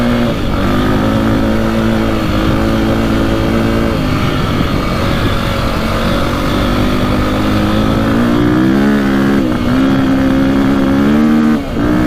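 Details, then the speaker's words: 2002 KTM 400 EXC (sold as a 450), warmed up after a fix for bogging and an early rev limiter: winds up cleanly through blips and cuts at the limiter at the right point, with a tiny backfire. Owner wonders about going up one jet size. Revs normally. "sounds a lot better you can hear it hitting the rev limiter at the right time unlike last time"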